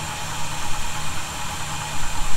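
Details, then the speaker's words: 1971 Chevy C10 idling after a cold start, with loose fasteners snugged for a suspected vacuum leak: steady, even low rumble with no whistle or hiss on top. The earlier noise is not heard. "we'll have to uh keep an eye on that as we do some other things and make sure i don't hear the noise i definitely do not hear it right now"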